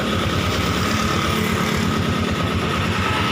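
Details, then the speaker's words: 2008 Yamaha Jupiter MX 135cc after engine teardown and cleaning: steady even single-cylinder idle, smooth unchanging beat, no knocks or rattles; normal idle. "Mulus bosku, Semuanya mulus, tidak ada gejala, ya normal."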